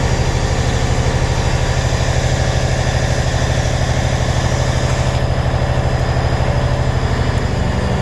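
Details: 1993 International 9200 with N14 Cummins and 10-speed manual, sat since 2008 as a no-start: steady, even diesel idle with a deep regular beat, no knocks or misses; engine running healthy, air leaks still to find.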